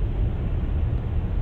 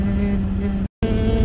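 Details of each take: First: 2011+ Jeep Grand Cherokee WK2 at 70 mph after windshield seal fix: steady low road and wind rumble with no whistle or hiss; the whistling noise fix worked. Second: 2011+ Jeep Grand Cherokee WK2 driving: steady hollow whistling hum over road rumble, wind past a bubbled, lifted windshield lower cowl seal; fixed with black sealant.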